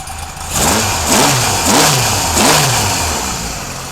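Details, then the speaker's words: Kawasaki KZ police motorcycle on its stand, started with no choke, fuel delivery redone, charging not yet confirmed: the four-cylinder catches, blips up three times and drops back cleanly to an even idle with no misses or knocks. Healthy. "all right yeah so she runs pretty good I'm kind of happy with that you know it's got a nice um sewing machine sound when she idles"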